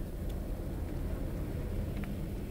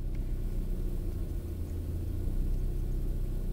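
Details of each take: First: 1998 Opel Astra G 1.6 16V X16XEL at warm idle after about 66°C coolant: a low, mostly steady rumble with slight remaining unevenness, after surging from choke-off until about 68°C. The engine ECU was later replaced and that fixed the surging. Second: Opel Astra G 1.6 16V X16XEL, idle hunting after choke ends until coolant sensor reaches 68 °C (here about 37 °C), no fault codes; low rumble rising and sagging instead of holding steady, matching lambda graph. Later traced to faulty engine control unit.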